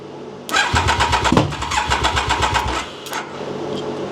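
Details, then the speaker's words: Triumph Daytona 955i project bike, water found in fuel, cranked on easy start spray before refitting fuel tank: starter churns about four beats a second, engine stumbles and half-catches then dies; wants to fire but won't run, injection system suspected. "Yeah, she wants to fire up."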